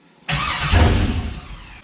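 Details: Chevy CUCV with a new 6.0 engine at first start, after a starter replacement and the fuel pump fuse refitted: a brief crank and short catch that dies within a second.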